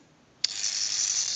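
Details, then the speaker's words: AE candlestick rotary dial telephone with the governor installed, during checkout: a brief, crisp, even ratcheting buzz as the dial returns. This shows the ratchet is working; a missing sound would mean a missing or misinstalled key or a bad spring. Normal dial ratchet. "if you hear that sound effect the ratcheting noise the ratchet that's working properly"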